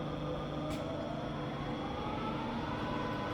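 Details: Rebuilt Bridgeport milling machine back in high range, spindle at about 1100 RPM: even, steady gear hum with faint whine at constant pitch, no knock or grind; normal healthy spindle running.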